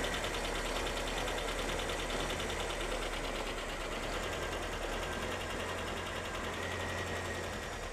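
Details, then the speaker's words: 1985 Ford Corcel with CHT engine, awaiting restoration, even steady idle with a smooth low rumble and no knocks or rattles; engine running round and healthy, normal idle. "O motor CHT funcionando bem, redondinho. E tá redondinho o motor, né?"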